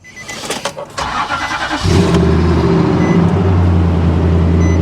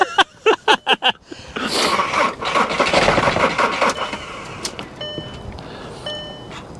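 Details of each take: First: Heavily modified Nissan Armada at a salvage auction yard: handling noises, then the V8 catches and settles into a deep, loud, throaty idle rumble from an aftermarket exhaust. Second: Diesel on a draining booster pack: a few slow, labored starter turns, then hissing and chimes with no firing; it cranks but never catches. Owner suspects lost prime or bad old fuel.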